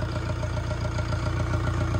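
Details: Diesel car engine restarted after hydrolock from flood water, after water was cleared from the cylinders and the injectors were bled: steady, even idle clatter with no misses or knocks; engine OK.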